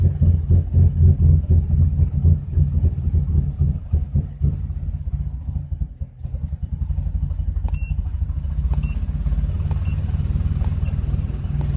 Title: 2004 Chrysler Crossfire OBDII Readings with Rough Idle